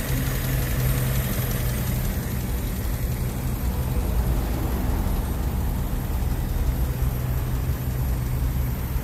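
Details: Honda Civic LX EG8 sedan with D16Y1 VTEC after rod knock treated with Blue Devil permanent fix: steady, even low idle, deep hum, no tapping or knocking from the bottom end.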